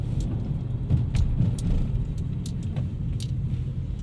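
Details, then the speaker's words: Geely Emgrand GS, 80,677 km, after retightening the left front lower control arm bolt and replacing the front stabilizer links: only low, even road rumble with light clicks on rough road; no clunks, front suspension quiet. "现在跑起来这个车已经很正常了，底盘没有一点杂音了，那么故障就完美解决啊"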